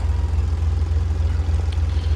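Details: Converted double-decker bus diesel, warmed up after starter motor removal: deep, steady idle with an even low throb, no knocks or misses, running healthy.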